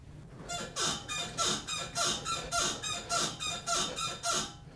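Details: Car front suspension being rocked gives rhythmic high, creaky squeaks, typical of a dry, worn lower ball joint. The noise was located with chassis sound clamps and an oscilloscope showing the loudest trace.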